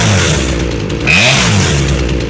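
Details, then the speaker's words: Chainsaw after carburetor rebuild, high-speed mixture tuned by ear: steady high-pitched two-stroke scream at full throttle, holding even without burbling or bogging, now revving right: normal high-speed running. "So, that's the rev, because we knew she wasn't revving right."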